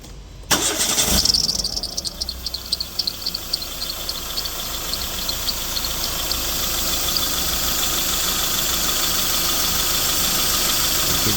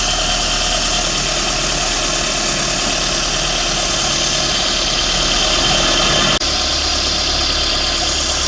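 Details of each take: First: 2014 Renault Sandero Stepway 1.6 8-valve, engine just cold-started: sharp high squeal over idle settling into steady screech; accessory belt runs misaligned toward the edge of the belt tensioner, which is out of angle, so the belt sings. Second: 2014 Renault Sandero Stepway 1.6 8-valve after the accessory belt tensioner was refitted and aligned to cure a belt noise: a steady, even idle with no chirp or squeal. The accessory drive now sounds healthy.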